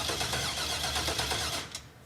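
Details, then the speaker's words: 1966 Corvette that hasn't run in 30 years, first crank: quick even cranking with no binding; the engine turns freely and is not seized. "this is going to be trying to crank it for the very first time here we go whoa that's similar to life wow go again okay it's not seized up"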